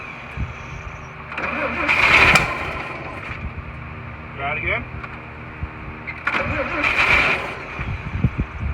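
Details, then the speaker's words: 1941 Chevy, start attempts with fuel poured in and the choke held: it catches in short ragged bursts and dies each time the fuel runs out, starved for fuel. "yeah i'm holding oil choke and it's just sucking you know we're not putting fuel in here anymore"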